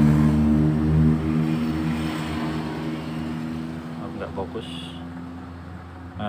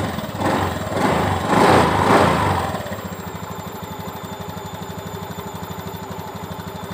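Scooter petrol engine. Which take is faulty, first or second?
first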